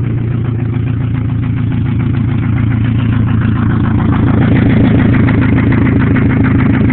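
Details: 1997 Pontiac Grand Am SE 2.4L, running with header only, after hard freeway driving in 95°F+ heat; sharp even tick about four per second over rough idle, oil light on below 1000 rpm; owner suspects spun bearing, unconfirmed.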